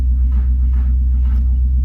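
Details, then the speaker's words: Subaru L series (Leone), manual with no clutch, out of gear, oil black but present: slow, laboured cranking about two strokes a second, heavy and dragging; battery has no charge. "Let's see if this thing will crank. Oh, it does. It's not happy,"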